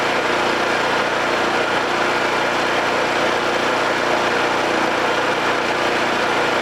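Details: Homelite 5000 watt generator, bought used with a corroded carburetor; after carburetor, brush assembly and AVR replacement and re-exciting the field with a battery charger, it gives a steady, even engine drone with no hunting or misses, running smoothly under its governor.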